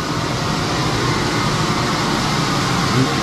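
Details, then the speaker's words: Newly installed sawmill dust collection blower with airlock on: even, steady rushing roar, whistling through screws with blast gate closed, no knock, rattle or pitch wobble; normal blower running. "With the blast gate closed, it's whistling."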